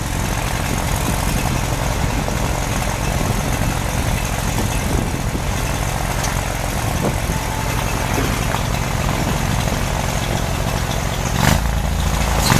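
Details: Farmall Super C tractor idling steadily after a cold start at -5°F (25 windchill), kept on a battery maintainer; rough but even low-pitched beat with wind noise, running normally.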